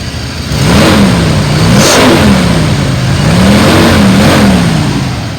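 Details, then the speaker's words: 1995 Ford F-350 XL cab and chassis, 7.5 L gas V8, 129,000 miles, warm after 45 minutes running without overheating; revved twice, climbs smoothly and settles evenly, responsive and powerful; oil burning smelled as it warms, possible valve cover gasket leak. "Motor sounds good and it's very responsive. A lot of power."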